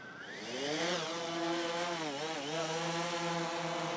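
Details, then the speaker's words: DJI Phantom 3 Professional drone after compass calibration, taking off outdoors and flying over water: buzzing rotor whine climbs smoothly as props spool up, then wavers steadily in hover, loud like a nest of bees; motors healthy. "take her over the water perfect it sounds very loud it sounds like a nest of bees"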